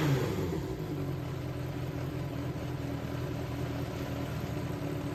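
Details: Yamaha XJR400 (4HM, early type) engine assembly, start check, compression measured, no abnormal noise or white smoke: smooth, even low rumble on start-up with no knocks, ticks or rattles. Clean, healthy idle.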